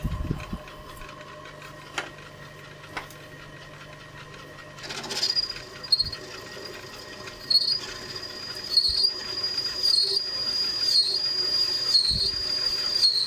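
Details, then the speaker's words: Three-speed lathe facing aluminium gear knob for Kawasaki GT550 bobber with cheap carbide tip and cutting paste; thin high squeal pulsing as cut nears centre; tool chatter there, slower speed suspected to help. "I always find it bites a little bit as you get to the center. Don't know if there's much you can do about that. Just the nature of cutting aluminium."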